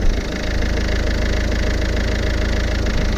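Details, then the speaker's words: Vauxhall Vivaro van idling after clutch replacement with everything reassembled: smooth, even idle, steady low chug, no knocks, ticks or misses; runs perfectly, new clutch later noticeably smoother. "But she runs perfect. She runs perfect. Just listen to this."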